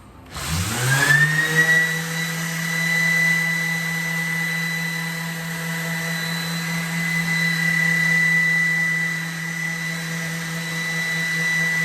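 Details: Shop vac hooked to a sanding tool's dust port without the proper attachment: motor spins up, then a steady loud high whistle rides over the vacuum drone; air leak at the dust adapter connection.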